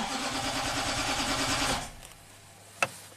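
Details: 2009 Nissan Titan V8, 130,000 miles, cold morning after a limp-home incident and battery replacement: steady cranking nearly two seconds, never fires; crank no-start.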